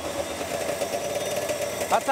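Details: Snowmobile two-stroke at its first start after the carbs were gone over and fresh fuel was added; a steady mid-pitched buzzing drone with no knocks or misses, running evenly and healthy.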